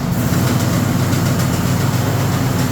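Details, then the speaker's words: Cub Cadet RZT 54 zero-turn mower running: loud engine drone with an uneven knocking racket underneath, not the engine; drive system suspected. "making a hell of a racket [Applause] And before everybody freaks out, no that's not the engine."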